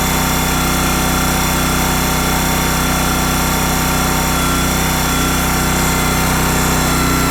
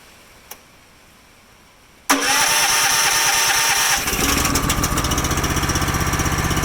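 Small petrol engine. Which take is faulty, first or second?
second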